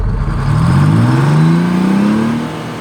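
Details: Detroit Diesel 6-71 two-stroke in a GM 4104 bus, after coolant-in-oil repair and oil changes, run up to governor for about 60 seconds: pulls smoothly to top speed, holds steady, eases off, no knocks or misses.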